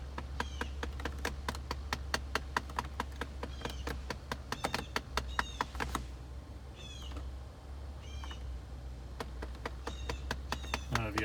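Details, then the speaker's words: 2008 Dodge Avenger, 3.5 V6, automatic, 161,662 miles, heater/AC control operated: rapid, fairly even clicking, about two per second, behind the dash; blend door actuator suspected of going bad, not confirmed. "would hear that clicking in there it sounds like there's a blend or going bad"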